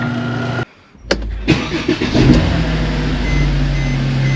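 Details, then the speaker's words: Fairly old Mercedes E350 3.5L engine after new spark plugs and ignition coils and intake plenum reinstalled: brief crank, fires on the first try, revs once, then settles into a smooth, steady idle; normal start. "We did our job right, man. This thing's gonna fire right up and idle smooth."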